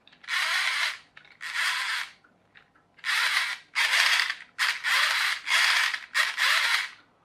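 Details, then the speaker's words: Small plastic pinion gear meshing loosely: short bursts of dry, buzzy clicking and rattling from poor mesh. A better-matched gear turns relatively quietly by comparison. "so if I turn away on it sounds relatively quiet whereas this one because it's a loose fit you can hear it clicking and rattling"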